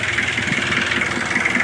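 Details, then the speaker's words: Kia Bongo 2 diesel, cold morning, after fixing a hard start: the glow plug heater wasn't working, heater sensor beside temperature sensor checked. It starts with one click and idles with quick, even pulses and a clean steady beat; all RPM okay. "So okay na gana lahat RPM."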